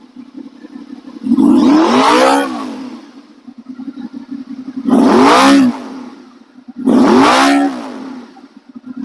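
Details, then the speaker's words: Honda VFR 800 first start after used replacement engine, new oil, filter, coolant: three clean throttle blips from quiet idle, pitch rising and falling smoothly without stumble or clatter; revs freely. "She's revving fine. Uh, so that's good."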